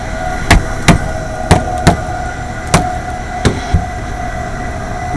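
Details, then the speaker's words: Rooftop AAON 5-ton HVAC unit, condenser fan motor running with panel off: steady hum with heavy, uneven thumps about once a second as the fan wobbles too much; worn motor bearings suspected, risk of self-destructing. "I think the bearings are going out that thing's wobbling a little bit too much and let somebody know about it before it self-destructs"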